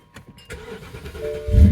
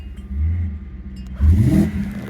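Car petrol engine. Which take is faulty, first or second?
second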